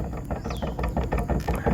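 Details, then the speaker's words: Yamaha Ego Gear scooter, about 3 months 1 week old, CVT gear oil changed once: dull clunks in quick bursts as the rear wheel is rocked by hand; worn final drive gear/shaft with excess backlash, much more than a 3-year-old Honda Beat. "Sebelah sini dengar dalam gear ni, shaft dia ni cepat bunyi. Honda Beat saya dah pakai 3 tahun, dia bunyi kocak lah, tapi sikit saja."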